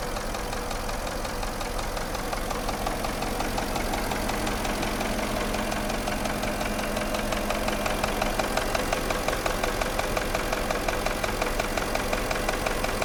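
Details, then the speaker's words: Porsche Cayenne at idle: a steady dull characteristic knock from the piston group. Cylinder walls are damaged, typically cylinders 5 and 6; endoscope diagnosis is recommended. "наблюдаем характерный стук двигателя автомобиля Porsche cayen стук связан с проблемой в пошле вой группе повреждены стенки цилиндров как правило пятый шестой"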